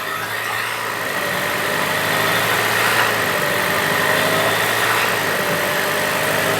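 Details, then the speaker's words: Land Rover Evoque/Range Rover (towed in for stalling and low power), automatic idling in park right after start: raised, busy idle with a faint wavering whistle; fault codes show idle control system higher than expected and variable coolant pump performance stuck off. "this is the Fault cut we have now with the the idle control systems higher than expected no subtype"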